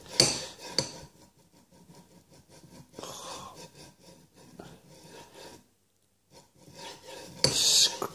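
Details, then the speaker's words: Cheap linear bearing, practically no lubricant grease, pushed back and forth along the rod: rough, gritty metallic scraping rising and falling, binding and tight about a third of the way at one end and toward the end; sounds like scraping across a metal floor. "but practically no lubricant grease in these bearings at the moment and doesn't really sound like bearing on a sha that sounds more"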